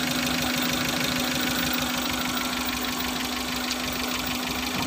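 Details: Suzuki Futura injection, limping, shaking, no power despite new plugs and coils: uneven stumbling idle, about three pulses a second with missing beats; misfire traced to injector number 2.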